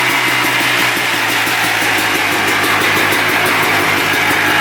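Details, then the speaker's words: 1990 Yamaha Blaster 200 two-stroke quad after air screw adjustment: fast, buzzy running with a rapid even pulse staying high instead of a low idle; owner suspects an air leak, possibly the left crank seal. "But when you rev it up, it kind of hangs high. Takes a while to come back down to idle."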